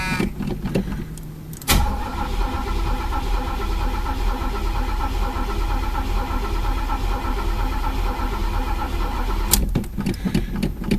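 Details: Chevy El Camino sat about six weeks: starter spins the engine steadily for about eight seconds but it never catches; the tank was out of gas because the long-inaccurate fuel gauge broke, not the suspected fuel pump.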